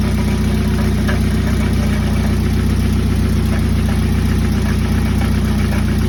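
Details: 1995 Jeep Wrangler YJ 2.5L four-cylinder idling with a low, steady rattling pulse, seemingly under the engine at the exhaust crossover, caused by a blown-out catalytic converter and muffler baffle; fixed with a complete new exhaust.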